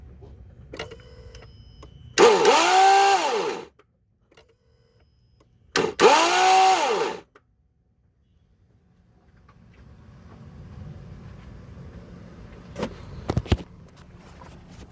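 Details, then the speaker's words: 2008 Ford Edge with replacement eBay starter, engine hot after 10-minute drive: two short bursts of free-spinning whir rising in pitch, no cranking beat; starter spins but pinion won't engage when hot, worked when cold. "Sounds like it's turning, but it's not engaging. I guess after the heat. I don't know, but it was working good when it was cold, but now that the motor's hot, it's not working."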